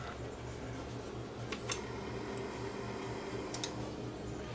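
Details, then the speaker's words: Sound Symbol RPH220 direct-drive turntable, not working, arm lift motor tested; faint steady small-motor whir under a low hum with light clicks as the cam gear turns; arm lift circuit working normally. "so the arm lift circuit's actually working you can see the i can see the the cam gear is turning"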